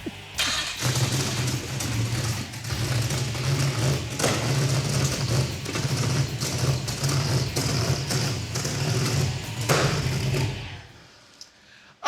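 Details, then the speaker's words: Mazdarati 2.0 turbo with a mishmash of old tunes: starts and revs unevenly, surging and stumbling before shutting off, oil smoking from the pipe; needs a proper chassis-dyno tune. "that's going to need an actual tuneup I think we're going to find a chassis Dyno and probably make that happen the right way"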